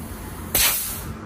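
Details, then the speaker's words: 2016 Ford Edge 2.0L no-start, leak-down test: sharp hiss of escaping air fading slowly as cylinder three leaks air past the intake valve; other three cylinders hold pressure. "number three is leaking is lecking air a little bit on the intake side but we're going to take care of that"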